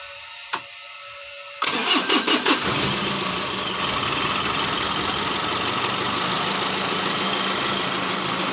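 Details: Mitsubishi L300 diesel after an engine rebuild for knocking and blow-by. Restarted to warm up: a few quick cranking chuffs, then it catches and settles into an even, steady idle; starts cleanly.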